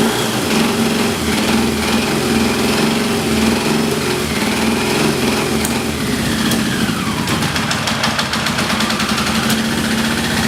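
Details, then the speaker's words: Yamaha XJ650 motorcycle, ran very rich with black smoke; owner suspected a sticky valve and ran transmission fluid in the cylinders: ragged four-cylinder beat with light ticking; smoke revealed an exhaust hole, plus dead and weak plugs; misfire and exhaust leak tick. "I think I had a hole in my exhaust and that sound like a sticky valve however putting the transmission fluid in there and creating all that smoke when I finally ran the engine did identify that there's a hole in the exhaust"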